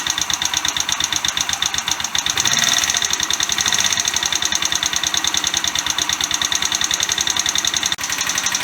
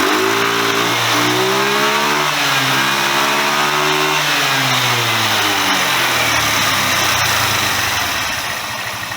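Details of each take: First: Chinese GY6 125cc scooter after an engine rebuild with a new cylinder head: fast, sharp, even ticking over the idle; very tappy, and the owner hopes it is valve clearance at the top end, not the bottom end. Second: Chinese GY6 125cc scooter after the exhaust valve clearance, found at about 0.4 mm, was checked: clean rise and fall of revs, smooth and quiet with no valve tick, though the owner thinks it runs too rich at the bottom end; normal revving.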